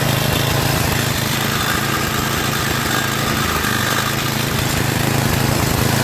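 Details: Yard Machines MTD 8 HP 24-inch snowblower on electric start, after an excess-oil leak: fast uneven beat hunting up and down with heavy vibration; clogged carburetor main jet.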